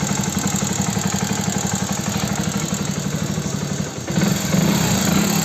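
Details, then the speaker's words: Hero Passion Plus BS6 motorcycle at 13,454 km, idling: fast, light top-end ticking about two per second. It is attributed to loose rocker tappet clearance needing adjustment, not the timing chain as another mechanic claimed. "अब मुझे जो इसकी आवाज लग रही है ना वो है रॉकर की आवाज टाय फिट की आवाज इसकी जो टाय फिट है टाय फिट मुझे लगता है बहुत ज्यादा लूज हो गई इस वजह से इंजन में काफी ज्यादा आवाज आने लगी टक टक टक टक की"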